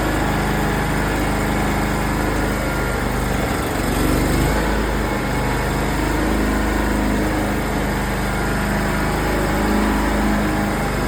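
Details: Simplicity lawn tractor, first spring start after winter in a shed, full choke: small engine holds a steady even drone with no misfires or surging after catching; running smoothly.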